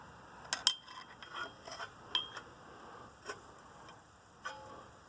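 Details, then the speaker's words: 1999 Chevrolet Tracker rear drum brake assembly: crisp light clicks a few seconds apart as the self-adjuster lever is pulled; it ratchets one way and won't push back, working exactly as intended. "you can see that the power lever clicking you can hear it I could pull it towards me but I can't push it and that pause doing exactly what I wanted to do"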